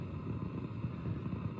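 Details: Marshall DSL5CR 5-watt valve amp with all new JJ valves installed, nothing plugged in: low uneven rumble with wavering flutter, same as before retubing, so valves not the cause; owner suspects something else.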